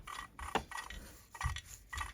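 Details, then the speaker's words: Husqvarna 288 XP chainsaw crankcase split: hand-turned crankcase main bearing gives dry gritty scraping in uneven bursts instead of a silky smooth spin; failing bearing. "There's your problem. Man, those should just be silky smooth, even if they're dirty. So this was failing,"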